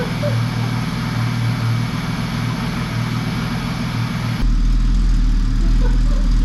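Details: 1966 Mercedes 230SL (Euro-spec), off the road 40 years, first brief run before coolant added: engine runs steady and even, then revs deeper and louder without stumble or misfire; oil pressure pegged near three bar; healthy running.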